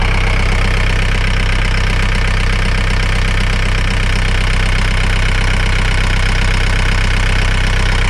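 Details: John Deere engine after replacing a dry-rotted, leaking fuel line and priming the system: steady, even low rumble at constant idle with no misses, knocks or hunting; running smoothly.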